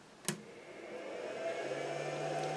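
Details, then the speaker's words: Pyle power inverter (PINV44/PINV66) switched on with nothing connected: a click, then its always-on cooling fan whirs up to a steady, quite loud hum. Normal operation; the battery reads 12.9 V. "so this is why I like the ones that don't have the fan running all the time I would prefer something else but my situation I don't really it doesn't really matter to me but yeah this is quite loud"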